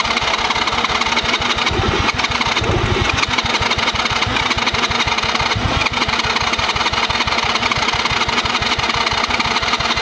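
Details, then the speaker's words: Cheap Chinese kids quad sat for years, choke on, spark plug tightened: fast rough cranking with a couple of brief pops that never catch; owner blames very old stale fuel, plans fresh fuel. "A little bit of something. Could be perfect. A lot of good. A little bit of something there. You can tell that fuel was like 5,000 years old."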